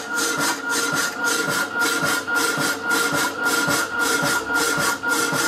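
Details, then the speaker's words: Rapidor power hacksaw, damper now lifting the blade on the backstroke, old blade in use: regular rasp about twice a second with faint steady tone behind; cutting normally. "working perfectly you can tell the noise it makes it's lifted on the back strp"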